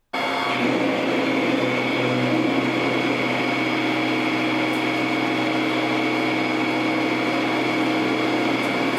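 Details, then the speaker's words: Precision Matthews 1440TL metal lathe taking a 150 thou depth of cut on hex stock; loud steady drone with busy cutting roar from the hex flats hitting the tool; normal heavy interrupted cut. "So I was cutting a hex so you can hear that quite a bit. Now I've gotten rid of the hex off of this."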